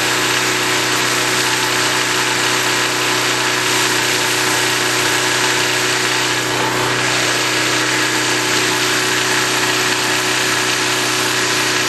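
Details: 196 cc 3250 W portable generator in mid-90s heat, just started: constant steady hum at unchanging speed, no hunting, surging or knocking; normal running.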